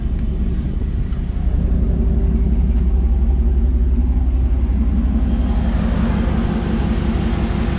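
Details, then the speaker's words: 2009 Dodge Ram 1500 Hemi after AC compressor field coil replacement, AC on: steady even engine hum, no squeal, chatter or grinding; clutch gripping, lines cooling and heating properly, normal. "yep that Top Line is getting cool bottom line is getting nice and hot you can hear that there's no noise out of that AC clutch compressor so it's gripping real nice"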